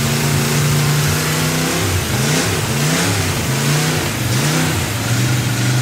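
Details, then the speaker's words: Freshly built Chevy 283 carbureted V8 idling: it runs unevenly and blips up and down because of an unplugged vacuum port causing a big vacuum leak. It sounds better when a hand covers the carburetor, which richens the mixture. "That's why when you saw me putting my hand over the carburetor, it sounded better. It had such a big vacuum leak, I was richening the mixture."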